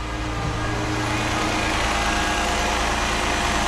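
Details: 2006 Chrysler 300 3.5 V6 with 120,000 miles, cranking and running after a no-crank/no-start fix found by checking voltages and grounds: steady, even idle hum with no misses, knocks or stumbles, so the engine runs fine.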